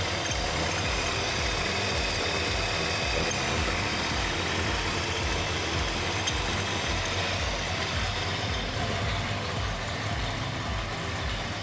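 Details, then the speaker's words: 1964 Mercury Montclair, Ford FE 390 with cam and intake kit, first run since the 1980s: deep, steady V8 idle with an even beat, no knocks or misses, runs well. A faulty ignition switch had caused it to die right after the key was turned. "Pretty awesome to hear this thing running for the first time since probably the 80s, so pretty neat to get this thing back up and running."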